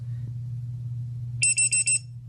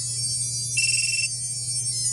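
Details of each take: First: Hellgate FPV lost-model buzzer on a drone, sounding after the battery is disconnected (it starts about a minute later): four loud, shrill chirps over a low hum. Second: Hellgate FPV buzzer on a quadcopter, heard when the battery is connected: a bright, high, tonal electronic melody plays briefly as the buzzer initializes normally.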